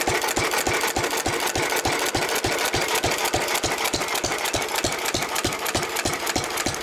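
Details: 1923 3.5 hp Emu (rebadged Hercules) stationary engine, restored early 1980s, idle 20+ years, after oiling a sticking magneto/exhaust valve linkage: sharp even firing about three a second with clean mechanical clatter; normal hit-and-miss running.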